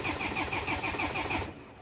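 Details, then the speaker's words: 2007 Land Rover Defender after erasing fault codes and cycling the ignition: steady rhythmic cranking, about six compressions a second, never catches; RPM signal and crank sensor confirmed working, fuel pressure still to be checked in live data. "so after erasing the fourth code I've cycled the ignition and it cranks but it doesn't start"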